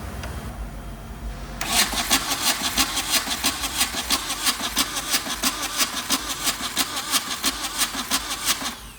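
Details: Suzuki Samurai with a VW diesel engine swap: quick, even starter chug at about three and a half beats a second with soft strokes, but it never fires; seems to lack compression, injector pump rebuild suspected, not confirmed.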